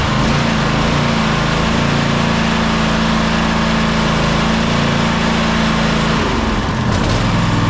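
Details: Toro Timecutter SS5000 zero-turn (model 74731), Toro-branded Loncin engine, after carburettor replacement: smooth even speed, steady buzz, no misses, surging or knocks; healthy.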